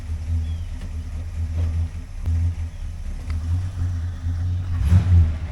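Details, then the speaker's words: 1960 Chrysler Saratoga with a 383 RB big block, after rebuilding the driveshaft trunnion joint whose boot was torn: deep, even rumble pulling away, no clunks or rattles from reverse to drive; drivetrain quiet and healthy. "sounds good no funking no rattling switch from reverse to drive yep that's pretty quiet"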